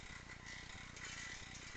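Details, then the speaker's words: Stels Navigator 300 road bicycle: fast, regular light ticking/knocking from the rear hub while pedalling. It stops as soon as pedalling stops and appeared the same day. "Только педаль отпускаю, и звук пропадает. Сегодня только что появилось такой звук."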